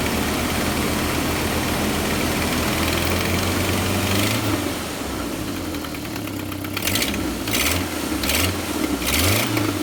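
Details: Jeep Wrangler TJ at idle on an early-spring day: rapid puffing tick over an uneven idle from the exhaust manifold blowing by at the rear; not the timing chain; rear exhaust manifold leak.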